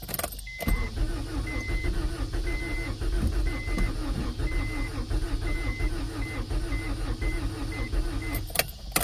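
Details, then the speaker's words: 1992 Acura Integra, sat over 5 years after overheating; new distributor and starter fitted, fresh gas added. Starter cranks steadily for several seconds under a repeating door chime but never fires. Owner suspects no fuel pump, as he can't hear it. "Oh, man. I might not have a fuel pump."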